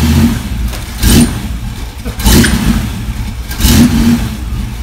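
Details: V8 on run stand with new mufflers for sound test, heard from about four feet from the nearest muffler: three quick throttle blips over a deep lumpy burble, each revving cleanly and dropping back evenly; normal start and rev.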